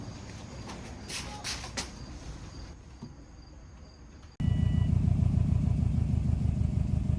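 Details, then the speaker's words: Subaru WRX with freshly swapped JDM engine, lumpy uneven low idle pulsing about three times a second, feels down a cylinder; misfire, owner suspects a dead coil pack, injector or spark plug. "I hope you can hear this because I can definitely feel it but we've definitely killed a coil pack maybe a injector or a spark plug or something because it is definitely down a hole already"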